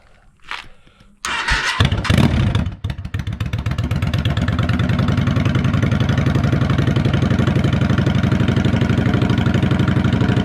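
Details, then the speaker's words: Motorcycle, first start of the day after two weeks off the road for wiring work: starter churns briefly, engine catches and settles into even thumping idle about four beats a second; clean, healthy cold start. "hey just start cuz hasn't been started today it's going to be started at cold start hey cold start"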